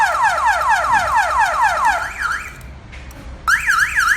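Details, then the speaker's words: Cardot car alarm with push-button start and immobilizer: after engine stopped and system armed, pressing start again triggers warbling siren sweeping up and down about twice a second, pausing and resuming; engine immobilized. "If now you want to press down again, it will make alarm. It will make alarm. Yes, make alarm."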